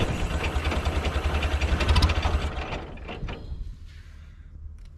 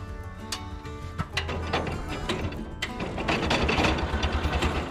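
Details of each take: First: International Cub Lowboy 154 after coil, points and condenser replacement and refitting forgotten distributor rotor: quick even low thumping about three beats a second settling quieter; engine catches and runs smoothly, normal start and idle. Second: International Cub Lowboy 154 after coil, points and condenser replacement: starter churns steadily about three beats a second but engine never fires; cranks without starting because owner forgot to install distributor rotor.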